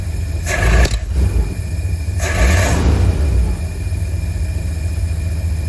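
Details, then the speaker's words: 1952 Cadillac Series 62 V8 at first start after a carburettor rebuild with no adjustments. It fires and settles into a deep, steady idle with brief surges. Normal idle; it backfired a couple of times, and the owner suspects timing caused the slight roughness. "That sounds pretty good to me. I mean, I don't even know if I have the stuff adjusted right. Seems to be running pretty good."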